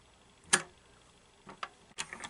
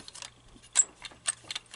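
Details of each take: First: 1930s Little Mother toy sewing machine after cleaning and repair, previously frozen and squeaking: after a few starting clicks, an even, light ticking of about three stitches per second with no squeak; the mechanism runs freely. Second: Seized 1930s Little Mother toy sewing machine, hand-cranked before cleaning and repair: sharp high-pitched squeaks and dry clicks about twice a second from the frozen, stiff mechanism, which will not sew in this state.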